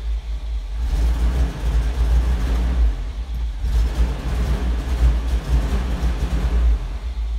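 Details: 1984 Toyota Land Cruiser 45 with 2F petrol engine that stalls after about two minutes: uneven, lumpy idle with a surging low rumble and dips, near stalling. Misfire from a failed ignition coil, caused by a ballast resistor removed for a breakerless distributor.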